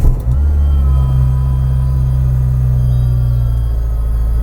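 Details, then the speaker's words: Renault Clio 172 after owner's own engine work, first start: idle held high at 1,800 rpm with a faint whistle/squeak; owner thinks something isn't sealed and is drawing extra air. High idle from vacuum leak. "Something's not right. Something is not properly sealed, so the air is like, it's like whistling where it's sucking in like a tiny bit of extra air."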